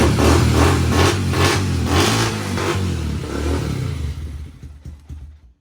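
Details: 1992 Honda TRX250X quad with revived, formerly seized single-cylinder engine, first run with valve covers off: revs freely with quick throttle blips, then settles and shuts off, running and pulling cleanly; normal running.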